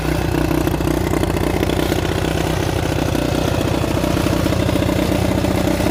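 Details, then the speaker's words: Honda CT200 (1964–67) iron-head pushrod single, non-running unknown time, plug cleaned, fresh gas: uneven chuffing that barely stays running; plug later very wet, owner plans to rebuild carb, cause unconfirmed. "so that didn't take nearly as long as i thought it would to get it running um i did notice that it didn't want to stay running for long"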